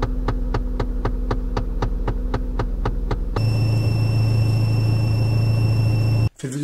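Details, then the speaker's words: Car dashboard with the AC blower on speeds 2–4: fast even ticking about four per second, then a whirring drone with a thin high whistle, from the glovebox area or the air vents. "صوت مزعج بيصدر من طابلوه السيارة عند تشغيل المكيف. الصوت ده غالبا بيظهر لما تشغل السرعة التانية أو التالتة أو الرابعة من مروحة المكيف،"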